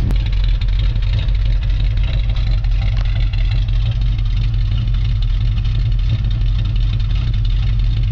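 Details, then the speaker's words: 1964½ Ford Mustang on a cold start after sitting for a year and a half. It gives a deep, steady exhaust rumble at idle with even pulses and no miss, tick or knock. It is idling normally. "just listen to that exhaust that's what makes men's hearts and lungs beat sound of a gasoline being burned"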